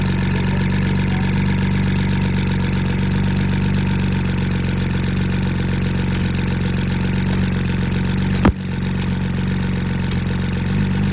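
Steady idle with an uneven, stumbling beat in the low exhaust note and an occasional hiccup; a misfire at idle.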